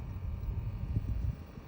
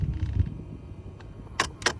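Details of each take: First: New temperature blend door actuator under the dash (old one's gear slipped clicking at cold end): moving from cold to hot and back gives only low steady cabin hum with soft bumps, no clicking; quiet after replacement. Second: Under-dash temperature blend door actuator clicks quickly, about twice a second, when the AC is set to cold as its internal gear strips at the end stop; it is silent on hot and after replacement.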